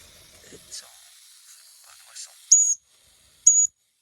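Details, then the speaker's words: Mamod Steam Wagon fired up outdoors, boiler coming up to pressure: two short, sharp hisses about a second apart against a quiet background as it vents. Normal steam venting, not a fault. "this is normal by the way this see don't be like oh my God it's going to BL up it's fine I promise you it's fine is it's properly going now"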